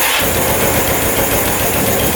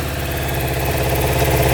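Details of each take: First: 1989 Suzuki Quadzilla quad with a KZ 750 engine swap, new battery, choked, first start: ragged, stumbling run with an irregular loping beat; misfire because a coil wire pulled out and was sparking on the engine; sounds much better once fixed. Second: Suzuki Quadzilla quad with swapped KZ 750 engine, choke off, restarted after test ride: even, steady idle with smooth low rumble, no misses or knocks; fires right back up, healthy.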